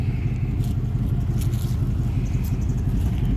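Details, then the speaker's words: Old rusty pickup truck at steady idle: deep, loud, throaty rumble with no muffling; exhaust open somewhere, owner suspects mufflers removed or catalytic converters cut, not yet checked underneath. Starts easily; slight belt squeak. "I haven't gotten underneath it to look but it's loud as so I'm assuming either the Mufflers are off or the cats are cut fires up good"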